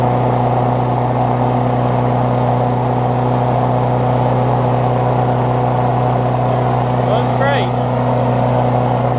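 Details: Briggs Classic single-cylinder moved from a Murray deck onto a Bolens push mower deck, run after fresh gas and 16 oz oil on a temporary throttle: steady, even buzz at one speed, no misses or surging; healthy.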